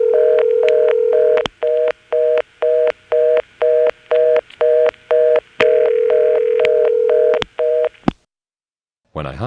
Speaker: an example of getting a number ringing with a reorder on top of it I'm again dialing the code for the callback circuit that a local call skipping some of the absorbed digits and then the call starts ringing